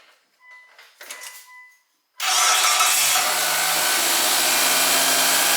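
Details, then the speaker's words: 2003 Mitsubishi Galant 2.4L 16V after replacing both serpentine belts: the engine starts and settles into an even, steady run with no squeal or chirp, so the belts sound normal. "no squeaks we're good"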